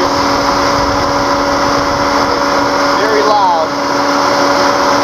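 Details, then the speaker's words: 2003 Mercedes C240, right after start: loud steady turbine-like roar with constant whine from the radiator cooling fan stuck on high speed; suspected bad ECM, mass airflow sensor to be checked first. "to high mode and almost sounds just like a turbine engine it's very loud and I'm going to go ahead and demonstrate that to give you guys an idea of you know what's going on here"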